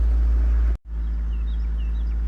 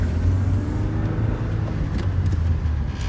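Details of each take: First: 2001 Saturn SC2 at operating temperature, in neutral, brakes on, foot off gas, after Seafoam but before throttle body cleaning: steady fast drone; high idle from carbon-fouled throttle body and IAC valve. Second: 2001 Saturn SC2 after Seafoam carbon cleaning and throttle body and IAC valve cleaning, formerly idling near 2,000 rpm: steady settled low idle without hunting; idle now normal.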